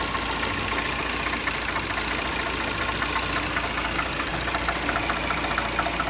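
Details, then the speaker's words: 1.6 THP with new timing chain at idle: light even mechanical whirr with fine ticking, normal chain rubbing noise, no heavy clatter; slight cold noise comes from cylinder head, not chain. "il est normal d'avoir un bruit un peu mécanique auquel on n'est plus trop habitué avec les courroies. On a ce bruit de frottement de chaîne."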